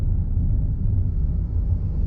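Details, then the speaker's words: Manual car crawling in third gear while braking slowly: deep, uneven low rumble with shuddering pulse, engine starting to knock and vibrate; lugging in too high a gear, fixed by pressing clutch and shifting to second. "అది తట్టడం మొదలుపెట్టింది, చూశారా? ఇప్పుడు, క్లచ్‌ను పూర్తిగా నొక్కండి."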